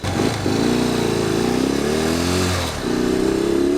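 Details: 1964 Honda Benly CA95 150 twin, after rerouting fuel tubing to cure bogging and cleaning the points and replacing the condenser to cure a high-rpm misfire: crisp, even exhaust beat rising and falling cleanly with throttle; normal running.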